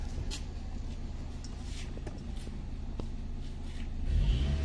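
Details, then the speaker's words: 2008 Hyundai i10 automatic after top overhaul for misfire: low even rumble that swells cleanly as throttle opens, no stumble; throttle response now eager, engine healthy. "Iba yung ano response oh. H gigil talaga."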